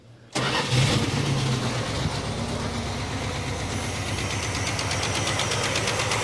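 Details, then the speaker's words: 1967 Barracuda V8: starts and idles with an uneven, loping, stumbling beat. Pulling plug leads on one bank finds a cylinder that seems not to be working; the engine sounds really flat and the distributor appears set too far out. Dead cylinder misfire. "So, I'm just going to look and see what uh if I can narrow it down to a particular cylinder."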